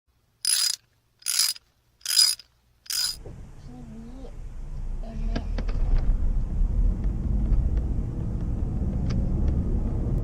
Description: This is what a bad wheel bearing sounds like. Please be aware however, that there are other components on your vehicle that can cause similar noises.